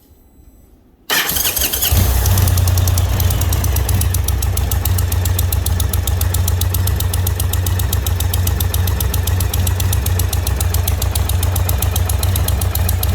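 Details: 2020 Indian Roadmaster 116 with 11,000 miles, at idle: a sharp, even tick of nearly four per second from the front exhaust header where it meets the cylinder. It began quiet on a ride and grew louder; the owner suspects a blown donut gasket.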